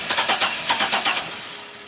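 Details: GM 4.3L Astro/Safari van, intermittent no-start, fuel pressure good and spark apparently seen at coil wire: brief quick even cranking, no firing; crank, no start, cause unknown.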